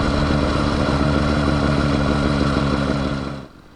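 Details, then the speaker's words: Two-stroke motorized bicycle kit on a Schwinn Stingray: steady buzz under load with a dry scraping rub beneath it, then the engine drops away; the chain rubs the rear tire only under load, not the half link first suspected. "obviously the chain rubbing on the rear tire which you can hear in the video it's quite pronounced I originally thought it was the half link I used to get the chain length just right but it only happens under load it's definitely rubbing on the tire"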